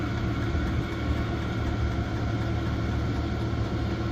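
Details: Cheap Chinese diesel heater running on diesel, first test: steady, even low hum with no surges or misses; the heater is burning cleanly and running normally.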